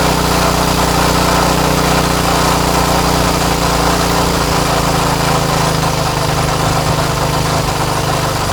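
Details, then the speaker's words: Craftsman tiller with Tecumseh Eager-1 engine after repair, no tachometer available: steady even running with a slightly hurried buzzy pitch and no surging; low speed sounds a little high and is being adjusted, engine speed set slightly too high. "the low speed sounds a little high so I'm going to set the low speed the high speed I don't mind the sound of but the low speed sounds a little high so I'm going to start it up"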